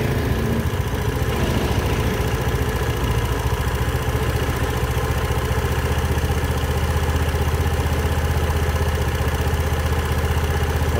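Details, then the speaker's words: Scooter at 62,000 km after throttle body carbon cleaning and ECU reset: steady, quick idle putter with no dip or hunting, faster than it should be at rest; idle set too high, to be lowered via adjuster. "Napansin ko Mataas yung ano niya ah Menor niya para sa akin ha so siguro bababaan ko"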